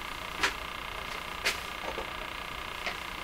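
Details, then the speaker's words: Crosley 43FB farm radio on shortwave during restoration: irregular sharp ticks about once a second over steady hiss. The intermittent fault has stopped on its own before; freeze-spray testing of capacitors has not yet found the cause. "This eventually went away. the last time around, which is kind of mysterious too. What would be happening that would make it just come to a stop?"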